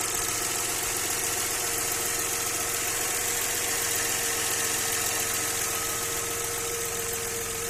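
Steady idle with a faint, fairly regular tapping around three to four per second riding over the hiss; a knock of unclear origin.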